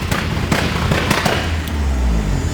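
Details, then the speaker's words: 1976 Fiat 124 turbo EFI conversion with full exhaust, stationary, throttle held with two-step switch on: loud sharp bangs in irregular bursts over deep rumble, with smoke; normal two-step launch limiter pops. "You got Wow. two-step. Two-step? Yep. It's loud."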